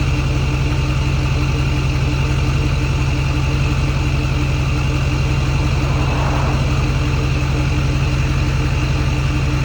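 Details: Ford F-350 Super Duty 6.4 Powerstroke with new billet-wheel turbos, idling at about 780 rpm: deep even beat with faint constant high turbo whistle, no scraping or rising squeal.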